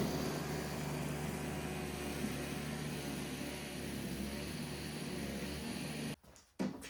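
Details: Old Toro CCR Powerlite snowthrower after reinstalling the upside-down carburetor needle and cleaning the bowl: choked, primed and started on fuel, it holds a steady, even buzz without surging or missing, then shuts off; running normally.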